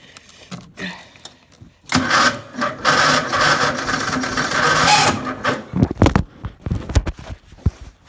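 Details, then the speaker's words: Murray being started for the first time in a long while, on a freshly charged battery: harsh, rough grinding churn for about three seconds while cranking, then dies off; starter suspected chewed up or broken, not confirmed. "Wow, that sounds really bad. Wow, that starter's frigged up."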